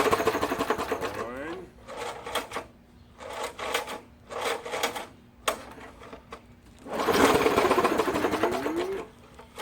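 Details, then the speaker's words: MTD 3 hp 20-inch push mower, cold start: repeated pull-start bursts that fire a few ragged pops and die, with suspected backfiring. It won't keep running, and the spark plug was bone dry. "see it sounds like i don't know if i'm not hearing it right but i keep thinking i'm hearing backfiring"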